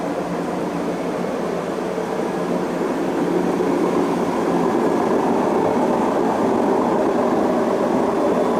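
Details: Beko D5 7101 washing machine with plastic tub, before drum bearing and seal replacement: loud steady roar with no knocking, rising slightly as the drum spins up, from a worn drum bearing.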